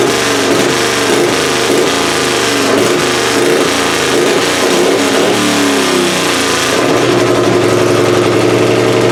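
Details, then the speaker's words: Pulling engine "Plan B" running methanol, first fire-up of the season after annealed head gasket install and timing adjustment: loud, crisp, blips through revs cleanly with no misses or knocks; head gasket sealed, carburetor still needs tweaking. "y'all that's gonna do it for this video we got Plan B fired up sounds pretty good head gasket seems like it's all still sealed up uh timing sounds good now that I adjusted it"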